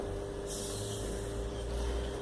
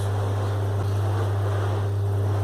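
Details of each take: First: Split air conditioner indoor blower wheel, driven by its small motor on a test stand at 220 V before balancing: steady hum over a heavy low rumble and shake, so the wheel is out of balance. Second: Split air conditioner indoor blower wheel on a test stand after counterweights were added, running at maximum speed: steady low hum with even airflow and no wobble; the wheel is well balanced.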